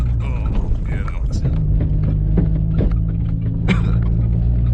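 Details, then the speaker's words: Lifted (2 in) 1991 Honda Civic RT4WD wagon on snow tires crawling a rough bouldery trail: irregular metallic taps over low engine drone as the steering knuckle hits the coil spring on big bumps; harmless. "the little banging you can hear is my knuckle hitting the coil spring because I it's lifted 2 in so it kind of brought the knuckles in a little bit so when I hit a big bump it'll tap the coils the spring a little bit but don't hurt nothing just sounds bad"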